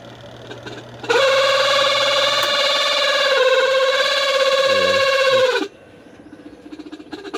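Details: Washing machine spin dryer, loaded with clothes, customer complains of squeaking and hard spinning, bearing or belt suspected; loud steady high squeal for about four seconds while spinning, then cuts off; worn spin tub hub.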